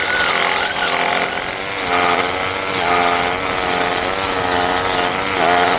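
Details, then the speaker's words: Craftsman gas string trimmer after a carburetor kit rebuild, previously hard to start and would not rev: high-pitched buzz held steady at full revs with no bogging or surging between blips; now runs cleanly. "Well, I'd say that I don't remember it ever running that good, but I go put on some glasses and some shoes and continue."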